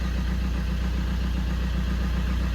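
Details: Fiat 500 diesel with replacement engine of unknown history, after replacing the too-far-gone DPF; even diesel clatter with regular pulses, about seven a second, steady idle without hunting or stumbling; normal idle.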